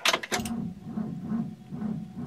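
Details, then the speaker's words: Long-parked 1963 Oldsmobile on a battery of unknown condition borrowed from an LTD: after a clatter, slow, labored cranking pulses about twice a second and never catches; the owner thinks it's not enough to start it and plans to jump it. "yeah I don't think that's going to be enough to start it"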